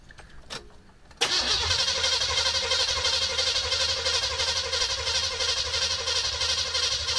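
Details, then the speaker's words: 1973 Chevelle with freshly installed 327 V8, spark plugs in: starter spins the engine with an even, steady whir and no clunks; healthy cranking, 30 psi oil pressure at crank, no oil leaks seen. "30 lbs at crank we'll take it we'll take it sounds healthy at crank don't see no oil coming out anywhere"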